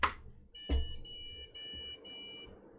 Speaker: ah that was four beeps it probably was doing that on the previous attempt but we didn't hear it because i didn't plug in the beep speaker until after it had done the beeps right